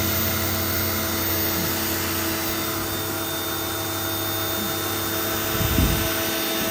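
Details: New Canadian Tire Certified 1800 PSI 1.4 GPM corded brushed electric pressure washer, first use spraying: steady even motor hum with fine high spray hiss holding level throughout; pump running smoothly.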